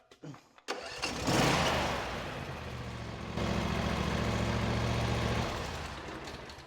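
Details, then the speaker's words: John Deere S140 lawn tractor, Briggs and Stratton twin, after freeing a starter gear stuck by mouse debris and oil goop: cranks briefly, catches and settles into a steady, even idle; starts cleanly. "And there you have it. We diagnosed a no-start condition down to it was basically mice error and oil that had splattered over the engine that had gotten the mice stuff gooped up, made a goop that stuck the starter gear down."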